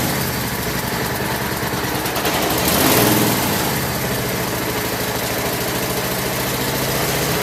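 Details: Craftsman lawn tractor after no-start repair with new carburetor parts including float needle valve, idle over a year, full gas tank, warming up: small single-cylinder engine settles into steady, even run with brief rise near three seconds; normal running.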